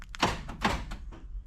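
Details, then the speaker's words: Vauxhall Movano van central locking with sliding-door ajar warning on dash (misaligned door contact pins): quick double clunk, lock then instant unlock, as the van reads the sliding door as open; central locking re-unlocks due to door ajar fault. "So, you hear that double click. That's the central locking trying to lock. Then, it instantly unlocks again because it thinks that that sliding door is actually open and a jar."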